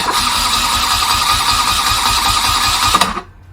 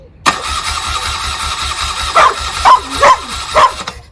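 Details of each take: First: 1979 BMW R80/7 after replacing burnt-out starter motor, fresh oil: strong even cranking about three seconds, clean motor whine, no grinding or slipping; oil pressure achieved, starter healthy. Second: 1979 BMW R80/7, 43 years old, being restored, fresh fuel and charged battery, chokes open: starter churns slowly and evenly with a few sputtering pops but never catches; cranks without starting, ignition and coils not yet checked.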